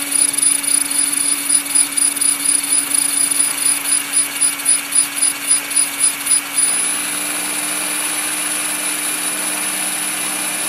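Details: Trex 500 ESP RC helicopter on its first hover: a high rotor whine with a pulsing throb about three to four times a second, then steadier. Abnormal vibration noise in hover, cause unknown.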